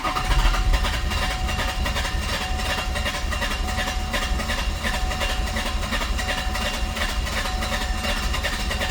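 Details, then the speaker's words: Diesel car on a warm day, glow plugs confirmed working, cranks long and laboriously without firing as the owner considers ether; hard starting with long cranking, cause not confirmed. "So, yeah, that's how much of a pain in the ass it is to start this thing, even with functioning glow plugs."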